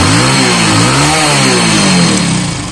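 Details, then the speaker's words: Hero Fashion Pro motorcycle after repair for cold-morning missing and jerking: engine revs up and down cleanly without stumbling or cutting out, pulling fully and healthy. "अब गाड़ी को start करके देखेंगे चाबी स चन करेंगे तो गाइस पूरी तरीके से रेस ले रही है गाड़ी"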